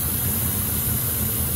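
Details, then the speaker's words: 2006 Ford F-150 (almost 300,000 miles) 5.4L 3V Triton (remanufactured engine) with lean codes P2195/P2197, running horribly. A loud, steady, high-pitched hiss over a rough, uneven V8 idle reveals a huge vacuum leak, diagnosed by ear. "they didn't even notice this huge leak me it's very loud very"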